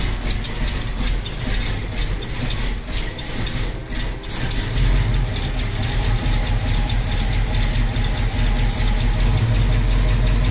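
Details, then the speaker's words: Stock 1966 Ford Mustang coupe, factory 289 V8, 4-speed, after repositioning the distributor and setting ignition timing: starts and holds a deep, steady idle that smooths out after a few seconds, no misses or knocks; runs happier, healthy. "you can adjust this distributor as you need to and you can hear the motor happier when you've got that timing dialed in a little better"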